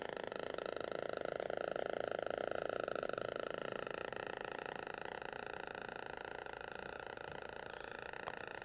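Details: HP Envy m7 laptop speakers, out of warranty: dense steady distorted crackling and popping whenever any audio or video plays, even muted, stopping when playback stops; driver rollbacks and OS reinstall did not fix it.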